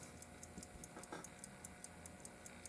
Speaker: Just put it in the winder and brace it so that it doesn't unwind, thusly, and you can hear the ticker tick.